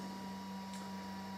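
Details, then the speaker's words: Harley-Davidson with an LED headlight bulb fitted in place of a Xenon kit, engine off: faint steady electric hum with a low note and higher whine, which the owner presumes is the LED bulb's cooling fan, running normally. "So, and you can hear in the background, I presume that's the fan off the main LED that's in the headlight."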